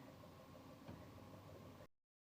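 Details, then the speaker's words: Lexus RX450h engine started again after clearing manifold absolute pressure and throttle pedal position sensor codes; check engine light off, no codes on the scanner: low, steady, even hum with no misses, knocks or surging; normal idle. "ये गाड़ी start हो गई है दोबारा, check engine light भी चली गई है और स्कैनर में भी कोई कोड नहीं है इस टाइम।"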